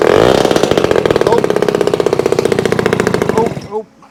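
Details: Vintage two-stroke with fuel leaking out. Loud, raspy popping at about four beats a second, then the engine cuts out; the exhaust earlier thought good is leaking.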